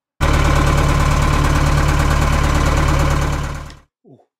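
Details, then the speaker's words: Narrowboat with 1.5 BMC diesel on test run after injection pump removal and refit: heavy thump about four beats a second, uneven and lumpy before cutting out; sounds rough, cause unclear. "that sounds rough"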